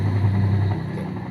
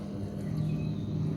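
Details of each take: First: Washing machine spin motor after jumpering a broken part, set to spin: deep, strong hum starting full and holding smooth with no labouring or scraping; rotation now normal versus weak before. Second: Washing machine dryer (spin) motor with weak rotation and burnt smell, water level sensor first suspected: low steady electrical hum and vibration but no spin-up; motor stalled.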